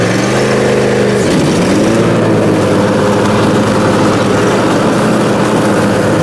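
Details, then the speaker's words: Briggs & Stratton Intek M44 twin after total carburetor teardown and cleaning: loud even drone dips briefly then settles into steady smooth running, no knocking or surging; sounds way better. "let's see if she's all good now it's fired up sounds way better anyhow well that's good"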